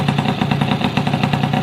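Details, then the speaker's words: Yamaha F1ZR two-stroke engine shipped from North Jakarta, test-run before teardown: fast rough idle with uneven knocking through the middle of the engine, engine shaking, slight noise near clutch; crank bearings and connecting rod worn. "Jadi ada sedikit suara di bagian tengah Hai sama kopling dan teman nanti kita buka aja biar lebih jelas kayak gimana kerusakannya ya"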